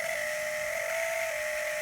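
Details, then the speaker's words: Rule wakeboard boat ballast pump, 800 GPH cartridge that fused last season, freed with WD-40 and running: constant high buzzing hum with a harsh, rough edge instead of a clean whir; sticking, worn cartridge, to be replaced with 1100 GPH unit. "So the WD-40, quick and dirty, got it running, but it sounds like crap."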